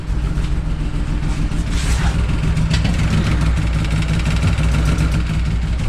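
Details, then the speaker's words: 200-euro BMW E39 six-cylinder after a bang, no longer running on all 6 cylinders, smoke everywhere: heavy, irregular low thrumming with a lumpy stumbling beat that never settles, very bad noises from the engine, likely misfiring. "Let's see if it starts and if it even moves. It is making really bad noises"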